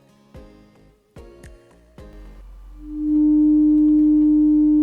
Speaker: if you hear a clean 300 HZ toone in all three tracking it means that your system your arm and cartridges can track currently the beginning the center and the end of the